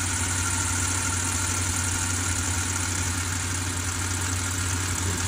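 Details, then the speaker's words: 2008 Range Rover Sport 4.4L V8, first startup of the day, about a week after a water pump replacement: steady idle with a faint high squeal that always occurs at cold start; cause unknown. "Don't mind that squeal either. I don't know why it always sounds like that when it first starts."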